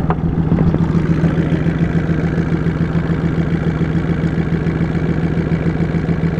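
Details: 2003 VW Jetta 1.8 turbo, 174,821 miles, codes P0341 camshaft position sensor and P0011 camshaft angle: low uneven lumpy idle pulsing a little over twice per second, engine shaking; owner suspects cam position sensor, unconfirmed.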